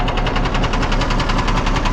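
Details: 1979 Kenworth W900A Cummins diesel at idle: steady, sharp, heavy knock on every firing cycle; mechanic planned to cut out an injector to see if the noise changes, possibly needing the pan dropped and head pulled.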